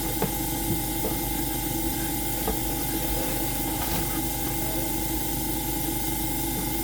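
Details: AromaO2 coin-operated oxygen concentrator switched on manually, before the oxygen test: the compressor gives a steady, even hum with faint regular valve ticking and no rattles. It is running normally, and the unit is later shown producing about 30% oxygen.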